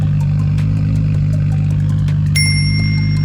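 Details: VL Calais Turbo on the dyno running 98 fuel, tuner cleaning up old tune; deep steady engine drone even on the rollers with a sharp ringing clink partway through; engine sounds healthy.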